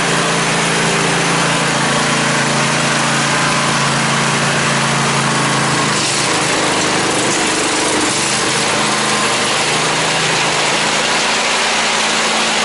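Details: 2003 Craftsman lawn tractor (917.272040) with 1994 Craftsman snowblower attachment mounted: smooth, constant higher-pitched drone holding speed without surging or skipping; runs normally.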